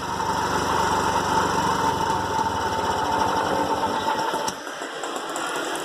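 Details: TVS King three-wheeler with a bad engine noise, addressed by air filter hose replacement: even putter at roughly four beats a second with a light whistle early on; engine runs smooth and healthy.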